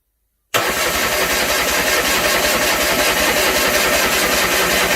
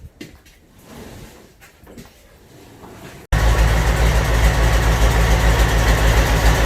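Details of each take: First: Land Rover 300Tdi diesel fitted to a Ferguson TE20 tractor, no turbo pipe or exhaust, on first start attempt: steady chugging crank at about four beats a second that never catches; milky water in the fuel system and likely air in the lines. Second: Land Rover 300Tdi diesel engine going into a Ferguson TE20 tractor, first start with 24 V to starter and 12 V to fuel solenoid, no exhaust fitted: loud, even open-pipe diesel clatter about 3.5 beats per second.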